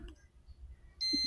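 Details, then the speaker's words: TCL LED TV dead, power dropping at switch-on; multimeter continuity test on the power-supply regulator MOSFET after four rectifier diodes tested fine: faint hiss then a steady high-pitched continuity beep that holds, showing the MOSFET is shorted. "Nah, ini menimbulkan short ya."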